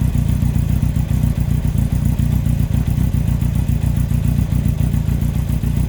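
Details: 2003 Yamaha R1 (5PW), 41k miles, idling: a hard, steady knock roughly three to four times a second; big end bearing failure on cylinder 4, with cam chain, valves and top end fine; owner suspects harsh downshifts caused bottom-end stress.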